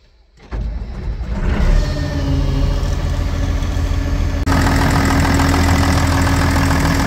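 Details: John Deere 544D loader diesel started after an oil change with 5 gallons of oil including filters: brief starter, then it catches cleanly into a steady low rumbling idle with no knocks or misses, and no leaks found; normal start and idle.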